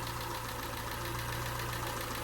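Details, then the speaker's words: Peugeot 207 engine just restarted after a snapped timing belt, head gasket rebuild and new timing belt; light quick tapping over a steady idle, owner thinks it's too much and may need readjusting. Suspected valve tapping at idle. "sounds a little bit tappy that don't it is that is that too much I think that's too much tapping isn't it but at least we've got a running engine again"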